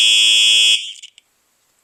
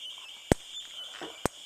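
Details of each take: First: Simplex 4903-9238 fire alarm horn (1999 date code), horn only: steady, high-pitched electronic blare for about three quarters of a second, cutting off cleanly with a faint crackle at the end; normal alarm horn. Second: Simplex 4903-9238 fire alarm, 1999 date code, 110 candela strobe: thin high whine broken by sharp pops about once a second, like a video game; owner suspects the capacitor and expected a constant hum instead.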